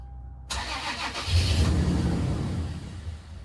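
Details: Toyota 4Runner crank no start, customer suspected fuel pump, key on with power reaching pump: starter churns about three even beats a second, never fires; tank simply empty.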